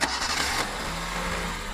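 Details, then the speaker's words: Car engine after replacing broken timing belt (no-start fix): brief crank, catches at once and settles into an even running note with no knocking or slapping; normal start and idle. "现在把皮带轮装上，发动试一下，还不知道能不能打得着。着了。"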